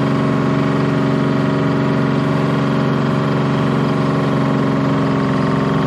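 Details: Bantam C350 crawler crane's Detroit Diesel (believed 3-53) two-stroke, revived after about 20 years parked: steady even drone, dense regular beat, no misses or knocks; healthy.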